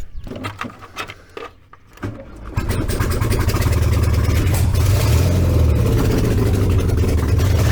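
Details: VW 1303S Beetle, rebuilt 1915cc engine, first run after timing corrected, no exhaust fitted: cranks, catches, settles into loud steady unmuffled run with quick even beat, revs cleanly; healthy.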